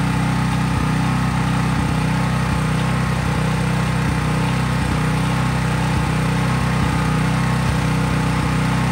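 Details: Craftsman 5000 W generator, used about once a year, running with no load or only a lamp or drop light plugged in. Steady, even engine drone with a regular low beat, no surging or misses; normal smooth running.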